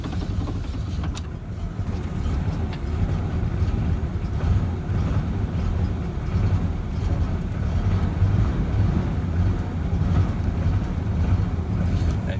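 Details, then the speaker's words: 1994 Ford F-150 4.9L straight six, 5-speed manual, cold start: low, lumpy, surging rough idle lasting about a minute before smoothing out; idle air control valve suspected, to be replaced. "try it again see if we have a rough idle on start there we go draw final it should smooth out here in another 10 seconds 15 seconds"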